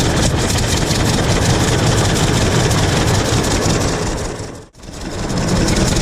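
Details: 1926 Hart-Parr 16-30 tractor, first run in over a decade after six months of work; heavy, slow, even thumping with steady firing and no misses or knocks, running healthy.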